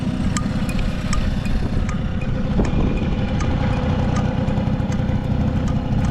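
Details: Vintage Honda 12V Squash (AB11-1055) moped, running check: the small two-stroke ticks over at a steady, even idle with faint light ticking and no knocks or rattles; quiet engine, no abnormal noise, sounds healthy.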